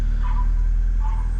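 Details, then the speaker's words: VXR daily after fixing an exhaust blow with a spare manifold and £9 gasket; smooth, even low idle with no ticking or puffing from the manifold, normal idle. "Listen to that. Now, sweet as a nut. 9 quid for a new gasket."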